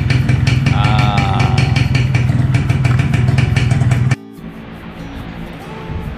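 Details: Yamaha 125ZR two-stroke after cleaning carbon from the cylinder head and piston crown (hard starting was caused by thick carbon, not RON 97 fuel): steady, even beat with a crisp crackle for about four seconds, then cut off; running normally.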